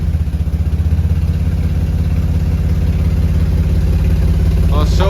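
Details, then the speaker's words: Nissan G35 VQ35DE at operating temperature, in drive: low steady even idle around 650 RPM, no stumbling, knocks, clunks or stalling; no odd engine or transmission sounds, though a code persists. "So far, no weird engine sounds or transmission sounds, and it's not stalling the car, so. And we're at like steady 650 idle in drive. That's not bad. That's right where it should be."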